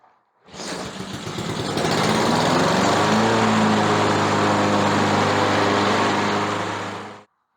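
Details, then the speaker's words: Free walk-behind mower after carburettor replacement, linkage springs and freeing a stuck valve: starts on the first pull and climbs to a steady, even small-engine drone until shut off; earlier failed start gave a clicking noise on the pull from the valve; now healthy running. "peu ça marche comme un charme, démarre du premier coup donc elle a fini"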